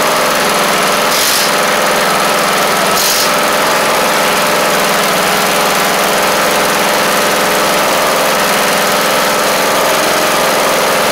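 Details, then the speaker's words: MTD Craftsman LT1500 riding mower, replacement engine's first start on battery: steady, even single-cylinder drone, no misses or surging, but a tad fast; owner suspects governor needs bending in slightly. "oh might have to bend the governor in just a little bit because I think it's just a tad on the fast side but I tell you what runs good that's for sure"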